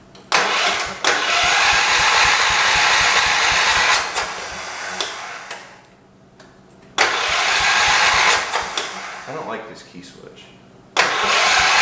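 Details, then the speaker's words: 1978 John Deere 208 garden tractor after head gasket replacement; long bursts of sluggish cranking but no start, owner thinks the battery needs charging and plans to check whether the fuel pump is pumping gas. "i think it battery needs smell other than that though it doesn't sound too bad so i'm tempted to pull the line off of here and see if it is actually pumping gas"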